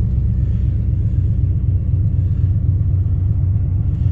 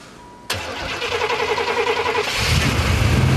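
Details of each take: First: 1992 Buick Roadmaster, TBI 350 Chevy V8, 169,000 miles, started after sitting months in snow at -25 nights, needed battery swap: deep low V8 rumble at even idle, steady beat, no miss or knock; running fine after cold start. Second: 1992 Buick Roadmaster, TBI 350 Chevy, 169,000 miles, buried in snow after -25° nights, battery swapped: steady starter chug about three or four turns a second, then catches into a rough cold run.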